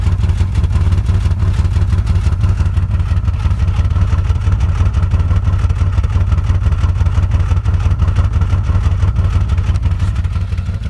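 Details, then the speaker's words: 1995 Nissan Maxima rough idle, heard at the exhaust. Deep, uneven, lumpy thumping; RPM bounces around 700 and goes away above 6–7 grand, and it won't restart without full throttle. Later fixed with new OEM injectors, EGR system, coolant temp sensor and vacuum hoses. "Very, very shaky, very nasty. Also, the exhaust sounds different."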